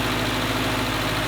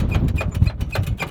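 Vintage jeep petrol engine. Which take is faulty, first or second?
second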